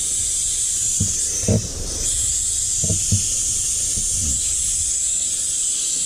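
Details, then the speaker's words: 1983 Mack cabover semi at idle: constant loud high-pitched hiss over faint idling diesel with a few low thumps; shifter leaking air profusely, high-low shifter or its linkage possibly loose. "But as you can hear, the shifter's leaking profusely, so..."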